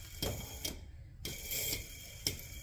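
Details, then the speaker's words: Club Car golf cart electric motor with a grinding noise, its bearing spun slowly by hand and compared with a new bearing: occasional dry clicks and short gritty rasps that come and go; a worn bearing. "let me give you a sound comparison to a new bearing so yeah you can tell that bearing is worn"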